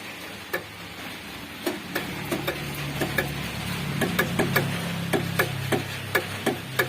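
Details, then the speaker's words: Mitsubishi L300 diesel that won't start: sharp uneven single clicks from the starter relay, about three a second, with no cranking and no response from the starter solenoid; current from relay to solenoid to be checked next. "Relay starter menghasilkan suara seperti itu . Namun pada solenoida, tidak ada suara atau respons sama sekali."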